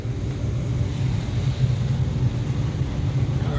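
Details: Older Allied packaged heating unit in a shop, firing after no-heat call traced to airflow, about 60°F air in and 35–36°F rise: low steady rumble of blower and burner, no rattles, squeals or knocking; normal heating operation.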